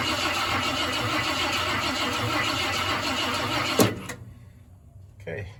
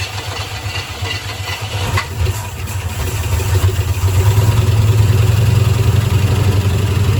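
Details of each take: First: 1972 Ford F-100 Ranger XLT, sat over 10 years, cranked by jumping the starter solenoid with a screwdriver before adding starting fluid; even cranking just under three beats a second, spinning freely; normal cranking. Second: 1972 Ford F-100 Ranger XLT V8, first start after sitting over 10 years, fuel poured into the carburetor bowl with the inlet blocked; rough, lumpy low idle that stumbles; misfire, owner suspects a stuck lifter.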